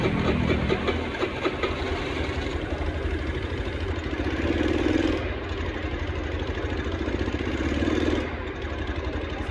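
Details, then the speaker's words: Honda Scoopy carburetor scooter with a new NPP carburetor fitted: starts and idles but each throttle blip swells weakly and falls back; still bogs and won't rev. "Dan ternyata hasilnya sama-sama saja. Tetap nihil menggunakan karburator yang baru juga."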